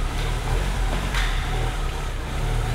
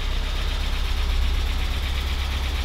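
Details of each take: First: Porsche 944 S2 first run in over a year after clutch bleed and fan water temperature sensor change: steady even engine rumble with no knocks or stumbles; runs very well despite weak battery. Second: Porsche 944 S2, first start after over a year off the road, after clutch bleed and fan temperature sensor change: lumpy, chuggy, tractor-like idle with light ticking from noisy lifters and injectors; oil pressure good; rough idle.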